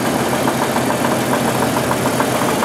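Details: 1988 Jeep 4.0 Renix at idle; it has a cooling-system problem and some surging from 0–40 mph. A fast, light rhythmic knock rides over a steady idle. Piston slap suspected, slightly more at the rear of the engine; cause unconfirmed.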